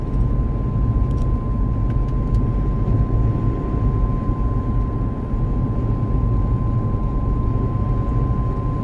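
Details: Car at about 70 km/h: loud, thin, steady high whine of constant pitch over road and engine rumble; dealer could not hear it, source undetermined.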